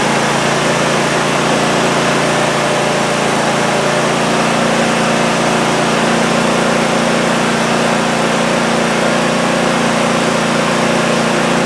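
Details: Cub Cadet ZT1 zero-turn mower that would crank but not start, after repair: steady, even engine note holding constant speed with no misses, surging or knocks; running smoothly and healthy.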